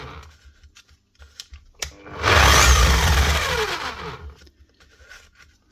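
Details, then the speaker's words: DeWalt D25810 chipping hammer before repair: a short burst of harsh, racing hammering that coasts down with a falling whine, running rough and too fast; worn bearings, which were later replaced. "sounds a bit rough. [Music] And she sounds like it's rolling very fast as well."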